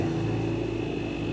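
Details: Refrigerator that was not cooling, compressor only clicking, after replacing the overload protector: steady even hum with faint constant high tone, no clicking or cycling, current 1.0–1.1 A; normal compressor run.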